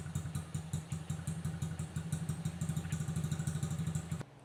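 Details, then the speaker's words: Honda XR50 small single after repair (leaking head gasket and air leak fixed) idles evenly with a regular exhaust beat, no misfire or stumbling, then shuts off cleanly; silencer oil-filled from likely sitting upside down; normal idle. "Alright, so I got that piece of crap fixed. It runs."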